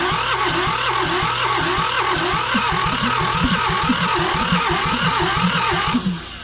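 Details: John Deere 650 subcompact tractor, two-cylinder Yanmar diesel, sat about 15 years, with oil pumped into the cylinders to raise compression: the starter cranks at about four compressions a second, never fires, then stops. Crank, no start; low compression suspected.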